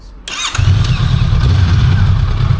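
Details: New Honda CL500 twin: quick crank catches at once and settles into an even, deep twin-cylinder burble with no knocks or rattles; normal startup and idle.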